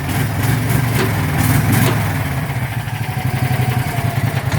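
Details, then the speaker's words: Warm John Deere 225 riding mower, single-cylinder engine, just jump started, with a suspect battery: it settles into a steady low thumping idle at about four beats a second; running fine. "Should start just fine because it's pretty warm. Yeah, see, it fired right up."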